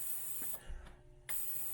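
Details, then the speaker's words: Hornady Sonic Cleaner 2L ultrasonic tank with distilled water and 5.7x28 brass, degas mode, no heat, 20-minute cycle; high steady hiss cutting off briefly and resuming with faint soft air-pocket pops — normal degassing. "Alright, so we're not going to use heat, and I'm going to do 20 minutes. So you can hear it degassing now. It's making little air pocket sounds,"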